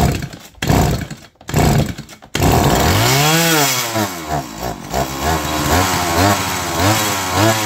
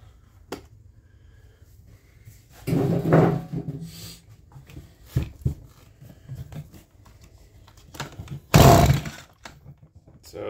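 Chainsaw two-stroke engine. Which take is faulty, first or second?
second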